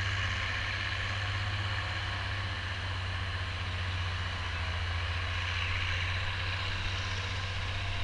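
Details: Oliver 1550 diesel tractor pulling a John Deere BW disk after whatever was in the fuel system cleared out; a deep, even drone holding steady under the pull with no misses or knocks. Normal running under load.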